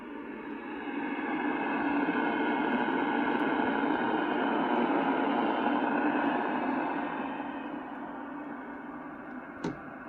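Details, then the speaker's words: Marconi MDF-5 direction-finding receiver on a newly built external power supply, at full volume with BFO on, tuned to about 500 kHz. A steady rushing hiss swells and eases. Noise pickup, source unconfirmed. "So you can hear the noise. That's just a receiver at full volume, BFO on, tuned to about 500 kilohertz."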